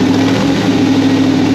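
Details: 1992 Fox Body Mustang with swapped 351W 5.8L V8 and Holley parts, timing reset to 10° static from 12°: loud, steady idle with a slightly uneven, lumpy beat, still hunting a little; shakes less than at 12°, which gave a messy idle.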